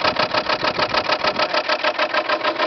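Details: Lenox heat pump outdoor fan in wet, freezing weather: rapid, regular scraping rattle about six per second, suspected fan blades hitting ice buildup on the housing; owner suspects the defroster is not working properly. Cause not confirmed.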